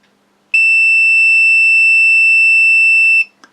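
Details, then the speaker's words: Multimeter continuity test on a new flight control board in a 210-size quad: steady high-pitched beep about three seconds between battery positive and ground, showing a short that visual checks missed. "got a problem and if we go to ground up here we've got a problem"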